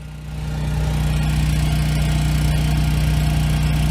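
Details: 7-year-old Husky generator, Subaru EX30 engine, after carburetor rebuild and pilot jet drilling for no-load surging: deep steady drone at fixed pitch, no rise and fall in speed under two 1500 W loads; holds revs cleanly.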